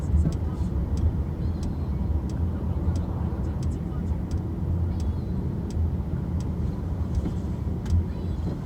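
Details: Car on the road: sharp light clicks at irregular intervals over low road rumble, a loose rattle somewhere in the car.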